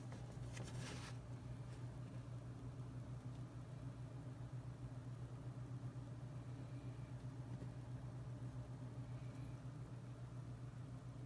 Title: Kenmore Frigidaire refrigerator compressor buzzing sound